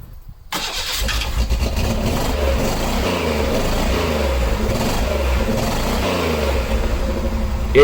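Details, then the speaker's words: 1986 Pontiac Fiero GT after restoring spark, given a little gas while cranking: cranking catches at about one second and fires into a rough, lumpy run settling into steady idle; engine starts for the first time. "finally started i was so happy at this point"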